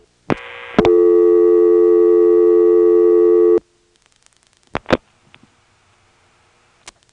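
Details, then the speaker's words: 1977 step-by-step exchange in Washington, NC: dialing a restricted two-digit DDD code on a line without the class marking allowing it. A loud tone holds about three seconds, then cuts off. Reorder tone rejecting the code. "very often in a Carolina telephone step you find this code that when you dial it all of a sudden this reorder just seems to come on out of nowhere here I'll demonstrate it"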